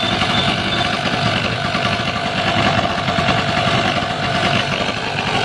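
Steady, even engine drone with no misses, surging or knocks at a constant speed; the small generator is running normally.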